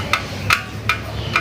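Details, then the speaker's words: Motorcycle/scooter exhaust silencer after engine shutdown: sharp metallic ticks about every 0.4 seconds as the hot exhaust system cools, which is normal. "Engine बंद करने पे exhaust system से यह आवाज क्यों आती है क्या यह नॉर्मल या किसी प्रॉब्लम की वजह से होता है"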